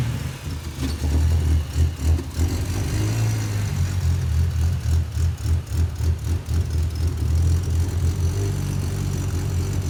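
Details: 1984 Ford Falcon XE wagon, turbo Barra engine with Haltech Elite 2500 ECU, first start and untuned: repeated blips with a rough, raspy exhaust edge and blow-off valve moving; runs but sounds untuned, likened to an RB with Power FC.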